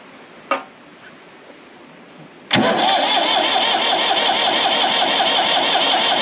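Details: Massey Ferguson 35X diesel tractor after replacing the perished fuel bowl gasket and priming; brief crank catches almost at once and settles into a steady even idle, no knocks or misses; normal start, fuel leak fixed.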